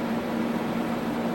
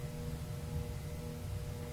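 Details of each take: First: Tektronix 574 oscilloscope cooling fan after oiling its bearings with a few drips and reassembling it: a steady, even hum with a soft airy rush and no ticking or scraping. The fan now runs smoothly and quietly. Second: Thrift-shop Tektronix 574 oscilloscope powered on directly without a Variac: steady low 60 Hz mains buzz with no fan whoosh, the fan turning at about half an RPM. Cooling fan seized on dry, stiff bearings needing lubrication.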